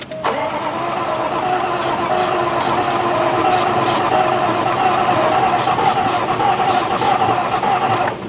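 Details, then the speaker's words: 2015 Range Rover 3.0 L supercharged, severely overheated, won't start: steady starter cranking with a few weak catches that never take, no cooling; blown head gasket, crank no start. "this thing will never start you could spray Nitro glycerin down these holes and it wouldn't fire up"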